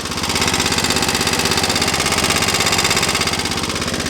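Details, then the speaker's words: 1983 Cub Cadet 680 Hydro with 12hp Kohler engine at idle: engine otherwise quiet, with sharp even metallic ticking-clanking about three per second; cause unknown to owner. "As you can see, the engine is pretty quiet, but you can really hear that whatever it is, ticking, clanking."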